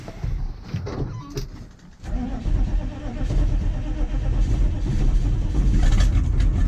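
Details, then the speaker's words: 1985 GMC 3500 with 6.2 Detroit Diesel, after fixing a crank-no-start and cycling the glow plugs: it cranks, dips briefly, then catches with a little hesitation and settles into a steady low clatter. Normal start; owner suspects the starter solenoid. "up started up there that wasn't too bad [Music] little bit of hesitation but that's not too [Music] bad"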